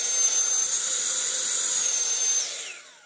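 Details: Dyson V15 Detect Animal cordless vacuum; steady high airy whine holds even with no surging, then winds down smoothly as the motor is switched off; normal run.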